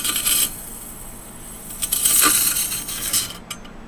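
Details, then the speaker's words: Older, heavy two-platter failing desktop hard drive (SMART failures or bad sectors). A thin, high motor whine with scraping clicks cuts out abruptly; the drive cuts its motor off and restarts, failing to spin up. "not happy as you can hear it it cuts the motor off and starts back not happy"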